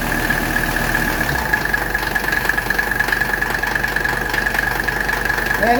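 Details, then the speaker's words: 1985 Mercedes 300TD wagon with its original R12 A/C system overhauled, during charging: the diesel idles steadily, then the note shifts as the compressor kicks on and holds a steady whine; compressor operating normally. "now when it gets enough in there we're going to hear the AC compressor kick on there it went the compressor just kicked on"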